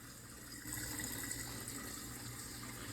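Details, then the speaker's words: Dishwasher drain pump running after clearing clogged drain pipes: steady pump hum under rushing water, even flow, no grinding or rattle; normal drain pump operation. "and uh that should now that should be draining the water from the pump pushing water through here"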